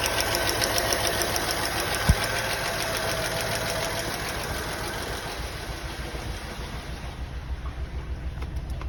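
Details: Honda Accord with a lumpy, uneven idle and an irregular pulsing beat about three times a second from misfires on cylinders 4, 5 and 6.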